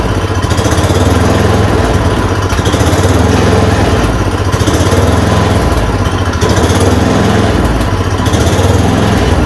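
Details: Yard Machine 826 snowblower (8 hp, 26 in cut), just fitted with a dual belt: a steady, even single-cylinder chug at constant speed with no misses, knocks or surging after the idle screw was adjusted. It revs up and runs normally.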